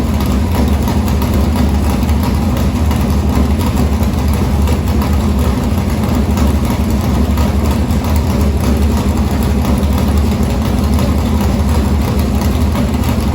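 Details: Morgan Machine-built open V8 (about 358 cu in) race engine in a Harris car, EQ heads, likely Edelbrock Victor Jr two-barrel intake, started after sitting a week and a half to refill an unhooked fuel line: loud, deep, steady lumpy idle holding even throughout; normal idle.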